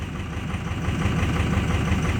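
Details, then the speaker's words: 2006 Ford F-250 Super Duty 6.0 Power Stroke diesel, hard starting and losing power, started cold after block heater, revved with pedal floored: uneven lumpy rough running, pulsing and shaking, turbo audibly kicking in, then rough again. "wow it's really running rough i don't know if you can see the phone's shaking the camera's shaking"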